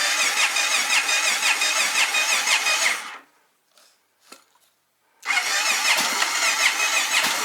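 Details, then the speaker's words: 1997 Honda XR650L with a knockoff carburetor, stale varnish-smelling fuel, on reserve and full choke: fires and runs raggedly, dies to near silence, then catches again; won't idle and only runs on choke, the carburetor suspected. "again the report is that you know it won't idle it only runs with the choke on"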